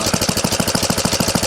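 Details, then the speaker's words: 1970 Rupp Scrambler single-cylinder idling with the clutch and brake removed: even, steady firing of about seven beats per second with no knock, confirming the earlier idle knock came from the old Max Torque clutch. "Well, this makes me feel better because there's no knock now. It's in the clutch."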